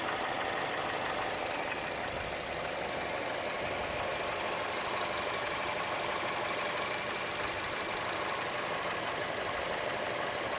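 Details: Chevrolet Cruze petrol engine idling: quick, fairly steady tick about three a second, louder than normal engine tick and most noticeable on the belt side; abnormal ticking, cause unknown.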